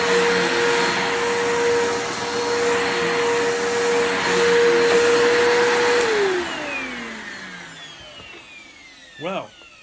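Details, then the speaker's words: Bissell PowerForce 3537 upright vacuum runs quieter than usual, with a mid-pitched hum sagging and winding down at shutdown. Armature and carbon brushes are judged to be struggling, and the motor may be going out; struggling vacuum motor. "yeah, that motor is struggling. It kind of reminds me of, like, it sounds like it's going out."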